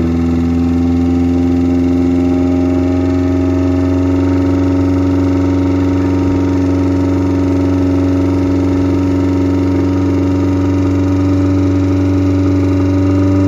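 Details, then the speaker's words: Car after removing a piece of plastic stuck in a pipe to the fuel float that restricted fuel and kept the regulator from holding the needed 6 bar: steady, even idle with constant tone, no hunting or sputter; running consistently now. "so right about now you'll notice we got the car to start and more consistently this time around"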